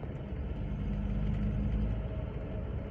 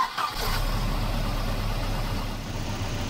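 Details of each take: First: Volvo 240 B230F with LH2.2 ignition running after timing was reset to 12° BTDC from several degrees off: steady, even low rumble, no hesitation, stumble or ping even when provoked; normal running. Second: Volvo 240 with B230F Redblock engine and LH2.2 ignition, before adjustment: engine catches and settles into a heavy, uneven, lumpy idle with a wavering low beat; ignition timing several degrees off, retarded from the correct 12° BTDC, causing hesitation and power loss.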